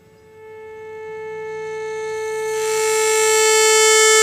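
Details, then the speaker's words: Orion R545A radio chassis, low-frequency signal injected into the amplification circuit: clean, steady tone swells louder with no buzz or crackle; amplifier and output stage working, fault lies in the high-frequency circuitry. "loud isn't it well i'm injecting a low frequency signal straight into the amplification circuit as you can see right there and um well it's loud it's really loud so the amplification circuit works just fine"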